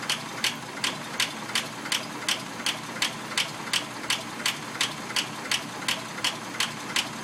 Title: Packard lifter ticking